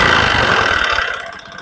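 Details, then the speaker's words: Honda Supra X 125 with a harsh engine noise, before teardown, at slightly raised idle: a rough mechanical rattle that worsens with throttle. Mechanic suspects the piston (other bottom-end parts or conrod also considered). Piston slap. "Nah itu biasanya suara yang ditimbulkan dari piston ya suara yang ditimbulkan dari piston ketika gas awal kita gantung sedikit kita naikkan sedikit ya itu bunyinya makin kasar"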